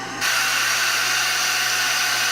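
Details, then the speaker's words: Shark vacuum with the wand attached: a sharp, steady hiss as the suction relief valve vents. Suction was fine without the wand, so the clog is in the wand. "It came back. That sound came back. That means if you're doing the if you're following this the way I'm teach I'm showing it, the suction should be in the wand. The problem is in the wand somewhere"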